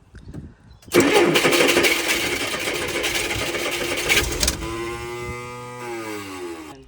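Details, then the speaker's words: Old Baja race boat engine run on fuel squirted in by hand: cranks, fires and runs a few seconds, then revs sag and it dies; fuel pump not delivering, needs working pump to stay running. "Yeah, but we need to get a fuel pump to work for it to stay running."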